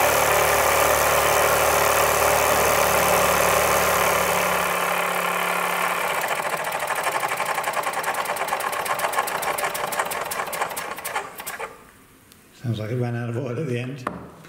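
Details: Hobbies Bowman superheated Peggy model steam marine engine from a 1928–1932 Peggy boat, after repair of old damage: quick, evenly spaced chuffs, about four a second, run steadily before winding down; healthy running.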